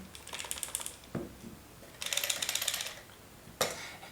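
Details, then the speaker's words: MeiKe third-party battery grip for the Nikon D800, shaken by hand for comparison with the Nikon MB-D10: quick bursts of light, tinny clicking as loose parts rattle, blamed on loose manufacturing tolerances. "everything rattles a little that's because the tolerances when producing this item are a lot higher than on the original product"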